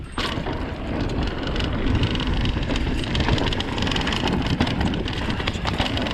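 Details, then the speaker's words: 2020 Vitus Sommet CRS mountain bike on trail, chest-mounted GoPro, rapid loose clattering following every bump over wind noise: internally routed cables rattling inside frame, before fix with split braided sleeving. "I don't know if you guys have noticed, but in my previous videos, the cables on my bike are extremely rattly and it drives me insane."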